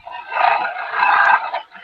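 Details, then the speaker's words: Live oak bowl turning on a lathe, outer wall thinned to about 3/16–5/16 in: a loud, high-pitched wavering squeal as the scraper rides the thin wall. Harmonic chatter, the wall flexing away from the tool. "that is harmonic harmonics being set up by harmonics being set up by once the wall once this outer wall becomes somewhat thin the bowl actually does this"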